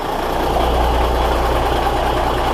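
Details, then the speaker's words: Cummins NHC250 diesel, cold start with a newly built pre-oiler (pre-lube pump switched via relay): steady, even low diesel thrum at cold idle, no knocks or misses; cold and unhappy but running, normal cold idle. "cold and unhappy but she's running"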